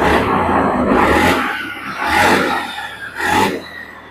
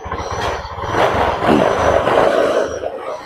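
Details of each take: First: Honda Beat ESP injection scooter after TPS sensor and fuel pump replacement, before the throttle reset: four sharp throttle blips, each revving cleanly and dropping back to idle without stumbling; crisp throttle response, running healthy. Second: Honda Beat ESP injection scooter that came in stalled, with bad relay, TPS and fuel pump faults: uneven, sputtering rise on opening the throttle, won't rev up cleanly; hesitation.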